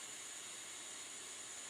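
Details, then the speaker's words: Bernzomatic butane soldering iron running with its ceramic tip glowing: a soft, even hiss with no whistle or sputter, unlike the older torch. The burner is running cleanly. "what I see right now is it's kind of ceramic that does glow it doesn't whistle like the older torch does"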